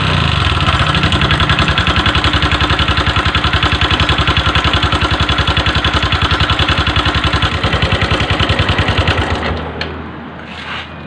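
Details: Honda Verza engine at idle, smooth before a holiday trip but noisy since: loud, harsh clatter about three and a half times a second before the engine cuts out; rough, noisy top end, cause suspected, not confirmed.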